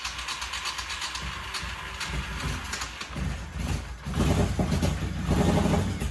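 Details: 1985 Honda VT1100 Shadow, first start in 25 years after recharging the carburetors with fuel: uneven cranking catches after about four seconds into a deep, lumpy V-twin beat that settles and keeps running cleanly.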